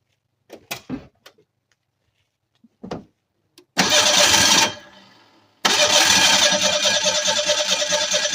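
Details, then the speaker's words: 1987 Ford Ranger 2.3L four-cylinder 2WD, sat for years, previously ran: two bursts of even cranking, compression pulses just over two per second, never fires; crank no-start, fuel filter or injectors not firing suspected, fuel pressure untested. "I really wish I could test fuel pressure at the rail so then I would know it could be a fuel filter um could be the injector's not firing something's obviously not happy because it was running"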